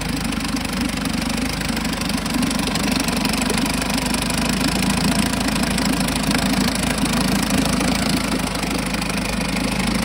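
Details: 1952 Johnson SeaHorse 10hp two-stroke outboard, trash-found, running without carburetor rebuild or new impeller: steady fast buzz, even firing, no misses or rattles. Runs good; needs only a pull rope, O-rings, apparently a twist grip and a gas leak fix.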